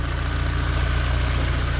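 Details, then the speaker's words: Mini Cooper R50 after R53 intake manifold installation, air filter not yet fitted, idling smoothly and evenly with a steady firing beat and no misses or ticks; running fine. "Obviously make sure you can hear the engine's running right, which does sound fine."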